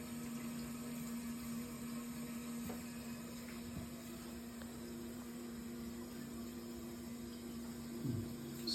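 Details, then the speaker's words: Hot-water boiler radiator heating system being refilled after flushing out sludge, with the radiator valves closed: a quiet, steady low hum with faint water rushing through the pipes as the system fills normally. "far so good sounds like it's filling up"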